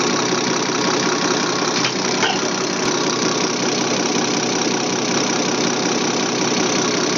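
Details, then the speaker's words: Remanufactured Bosch A-size inline injection pump for a Deutz 6.1L BF6L913C engine (Case 170B excavator) on the test stand, set to 325–326 at 6.8: steady, even high-pitched whir with no knocks. Normal high-speed run. "now we're actually going to set 325 326 which is fine at 6.8 we're going to scream this bad boy"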